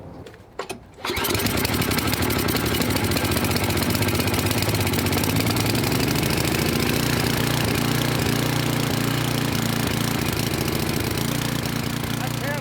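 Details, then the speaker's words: Craftsman snow blower with Tecumseh small engine, cold start: catches and runs steadily on midway choke with a slightly uneven beat while warming; rough cold running but not stalling. "I ran it on Midway choke for a little bit but you could still hear it's not run it wasn't running quite right but it wasn't looking to stall"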